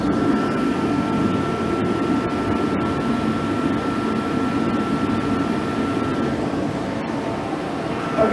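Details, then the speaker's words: HeatStar 185,000 BTU diesel/kerosene forced-air heater, left on a snowbank for weeks because it didn't work, after cleaning and reinstalling the flame sensor, running low on diesel (about two gallons): steady even fan and burner roar with a faint whistle, no surging; running normally. "it's working we're gonna shut it off"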